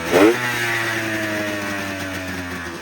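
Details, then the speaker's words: 1999 Arctic Cat ZRT 600 triple two-stroke snowmobile, revived after sitting over 20 years, airbox off: quick blip, then revs settle into a steady, even idle with no hunting or missing; normal idle. "That's nice. Well guys, I've got her to run now and she'll start on her own."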